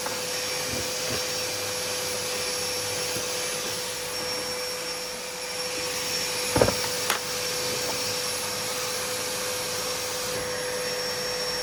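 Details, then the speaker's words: Numatic Henry HVR200 vacuum after homemade motor brush repair, running outside: even steady soft motor whine with no rise, weak-feeling suction like low setting; owner suspects a damaged winding. "Doesn't sound It doesn't like feel like a strong suction. It's like it's on the low bit of the high and low."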